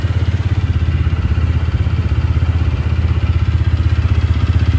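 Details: TVS Ronin single-cylinder engine, first start after full engine teardown and rebuild over a suspected clutch noise: steady even thump, no ticking or clatter, exhaust note keeps its old punchiness, suggesting no valve or compression leak; normal idle.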